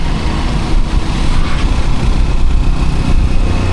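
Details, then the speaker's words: Honda XR150 single-cylinder after a higher-compression piston and carburetor adjusted just right: steady even low thump, no knocks or misses; engine really smooth and quiet, normal running. "Yeah, the carburetor's adjusted just right. The engine's really smooth. I can hardly even hear it."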